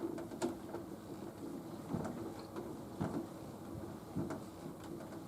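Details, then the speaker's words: Nautilus U614/U616 exercise bike pedaled at resistance level 4: dull thump about once a second near the top of each pedal stroke, worsening the longer it is pedaled; loose pedal on the crank clunking. "And it's going to start to make the noise in a minute. Right now. You hear it? That's not my foot clanking."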